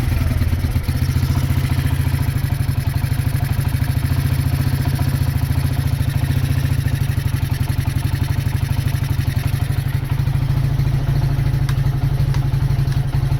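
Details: Honda GL100 CDI before rebuild, low compression, weak power, erratic carburetor, smoking: steady single-cylinder thump at idle with loose metallic clatter over it; the loudest noise is the clutch, which judders on take-off.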